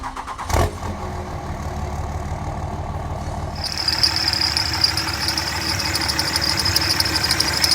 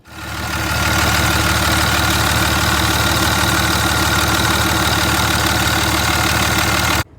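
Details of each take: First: 2003 Dodge 5.9L Cummins diesel (3rd gen) at idle: a sharp, constant high squeal from the idler pulley, first noticed while driving; pulleys sprayed one at a time with silicone lubricant to isolate it, idler pulley then replaced. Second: 2003 5.9L Cummins diesel, 3rd gen, after idler pulley and belt replacement to cure a belt squeak: steady, even diesel clatter at idle with no squeal or chirp; normal idle, engine running smoothly.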